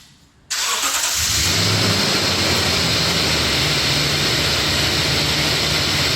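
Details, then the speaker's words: 2017 Toyota Tundra, 4.6 L 1UR-FE V8, 75,000 miles, started and idling in rainy weather: constant high gritty squeal or grinding, loudest on passenger side, audible without opening the hood, like a dry, corroded idler or tensioner pulley bearing. "I could hear there is some squeaking or grinding coming off"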